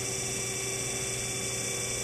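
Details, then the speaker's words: Hydraulic motor demo rig with aeration valve opened to let air into the system: steady loud hiss and hum with a fizzing, bubbly edge over the pump drone; pump aeration dropping efficiency and causing cavitation. "the efficiency is dropping off so we get more bubble you know this is a pump collapsing and will create cavitation"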